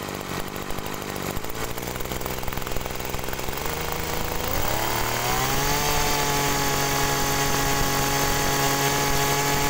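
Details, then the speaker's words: Agricultural sprayer small engine fitted with a known-good spare carburetor to test; idles steadily, revs climb smoothly to an even clean drone; normal running, suspected stuck pump ruled out, original carburetor at fault. "nah Oke jadi itu tadi ya teman-teman itu adalah suara karbu yang normal"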